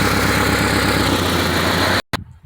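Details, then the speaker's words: Car idling before repair: loud, rapid puffing ticks in time with the engine, coming from the exhaust manifold gasket at the engine. Exhaust manifold gasket leak. "Okay, so this is the sound you gotta listen for. Coming from this, it's coming from right at the exhaust system right here. Okay, so most of it coming from between the gasket."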